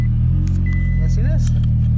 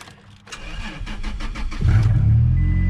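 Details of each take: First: 2006 Toyota Tacoma X-Runner V6 with about 129,000 miles, wrecked and bought sight unseen, jump-started after delivery: deep, loud, raw steady idle rumble; owner suspects all the mufflers were cut off. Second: 2006 Toyota Tacoma X-Runner, V6, manual, about 129,000 miles, wrecked truck jump-started: starter cranks about four turns a second, engine catches and runs steady and even, loud as mufflers appear cut off; starts healthy.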